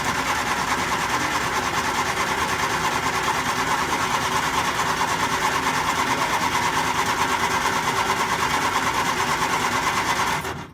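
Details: 1967 Triumph Spitfire Mk II with hard starting: a steady starter churn of about three beats per second for ten seconds with no catch. It cranks but won't fire, starved of fuel; the pump is suspected dead.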